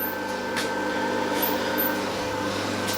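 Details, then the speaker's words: Antique fridge compressor powered by a Mishto 600 W pure sinewave inverter on a car battery: steady, even hum with faint constant high whine, no knocks or rattles; runs smoothly with only slight vibration at the wiring. "you see the vibrations of the compressor there's not a hell of a lot going with the wiring only a little tiny bit"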